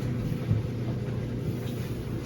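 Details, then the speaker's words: GE top-load dryer after bearing kit (drum sliders, part WE49X20697) replaced to cure loud noise; drum turns with low even rumble, no squeal, thump or scrape; normal drum rotation, fixed. "and smooth. Sounds good. That's it. Fixed."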